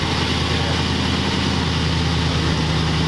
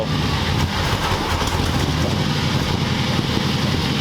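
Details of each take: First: 1940 Ford convertible V8 after carburetor adjustment, carb still thought to need work: low, steady, even mellow burble at idle with no misses or knocks, normal idle. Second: 1940 Ford convertible V8 being made roadworthy, at idle: a steady low rumble with a slightly uneven pulse. This is a rough idle; the carburetor is suspected to need adjustment.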